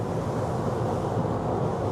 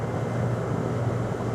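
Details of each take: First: AC condensing unit after both disconnect fuses were replaced: only a steady condenser fan rush with no compressor hum underneath. The fan runs but the compressor won't start. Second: AC outdoor unit compressor that would not start, now kicked on: even steady low hum with no clatter or stalling, drawing about 7 amps steadily; capacitors still to be checked.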